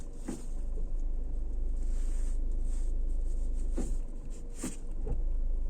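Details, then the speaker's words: 2020 Geely Atlas with BorgWarner coupling at 4,881 km: low rumble with single dull clunks when shifting from drive to reverse, play being taken up; owner suspects U-joints or splines; driveline clunk when shifting. "Но таких ударов, когда переключаешь с драйва на R, у меня не было на машинах японского производства, даже на 150 тысячах пробега. Думаю, будет слышно. Вот этот вот удар, это выбирается люфт в крестовинах или шлицах."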